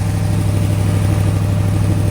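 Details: AK 427 Cobra replica first start after build, cold day, a hose leak found: deep steady idle burble with even beat, no misfires or hunting; idling cleanly. Normal idle.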